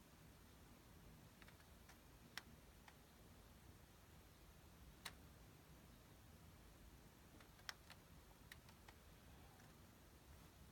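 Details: Sony Bravia KD55X8509C TV making sharp, irregular repeated clicks every second or few seconds in a quiet room; cause unknown.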